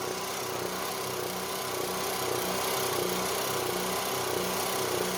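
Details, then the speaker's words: Onan MicroQuiet 4000 RV generator just started after topping up oil, no load: small engine hum swelling and fading about every second, speed going up and down; usually levels out once AC is on. Engine speed hunting at no load. "It was kind of doing that, you know, like that, up and down."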